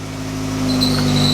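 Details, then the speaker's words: Rallycross car just after a clutch job: engine runs normally, but with gear selected and clutch released the car won't move and a thin steady high-pitched squeal rises over the engine hum from up front; transmission must come out to find the fault. "go anywhere I just get a whole lot of squeaking which you can hear from up front right now so I don't know why that is"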